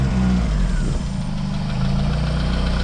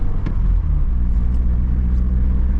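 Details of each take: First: Vauxhall Mk2 Cavalier (A-reg, heavily modified, turbocharged C20LET engine) after fitting a known-good donor V-belt alternator to replace a dead one: steady, even idle with smooth clean revs, no knocks or misses; now charging 13.6–13.7 V, engine healthy. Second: Heavily modified Mk2 Cavalier C20LET turbo engine with a failing, taped-up coil pack: deep rumble that backfires and misfires with a sharp pop, then catches and runs on.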